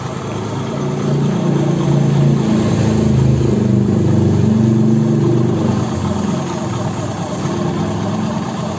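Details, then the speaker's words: Honda Beat scooter after repair, faulty part replaced with new: steady even low engine drone, smooth drive noise, no rattle or scraping; CVT now runs quiet and healthy. "Oke Jadi kerusakannya fix dari rumah horornya ya telah kita ganti dengan yang baru teman-teman bisa nilai sendiri tadi suaranya seperti apa ya adem banget kan"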